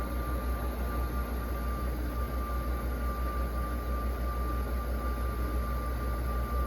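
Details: Carrier UC series 5,000 BTU air conditioner with a Tecumseh rotary compressor, running on low cool (medium fan leg moved to low) and already blowing cold air. Steady low hum, even fan rush and a faint constant tone with no rattles or cycling: normal running.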